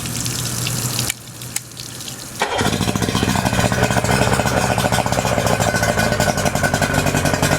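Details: Yamaha 90hp two-stroke outboard with new spark plugs, fresh fuel and a cleaned fuel filter catches after a few cranks and settles into a steady, even run with a crisp two-stroke burble. It sounds healthy.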